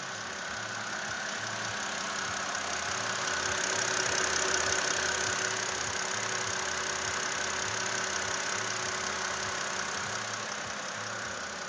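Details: BMW 528i with N52 petrol straight-six idling, with a light, regular ticking of roughly three ticks a second over the engine hum.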